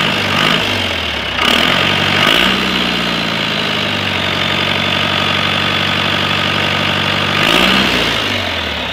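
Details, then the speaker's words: 4BT Cummins four-cylinder diesel with NV4500, complete rebuild, first start in a K30: diesel clatter settles to steady, even idle between quick blips; runs clean and healthy. "I can't believe how well it runs it runs better than what I've got here"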